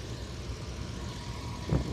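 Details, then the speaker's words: Pickup truck after overheating, water pump believed struggling to push slushy coolant, at idle after refill: steady, even low idle with smooth rumble and one brief bump near end, no hose leaks; normal idle. "Let's start it up and see what happens. Everything's moving like it should. No leaks in any of the hoses. Nothing."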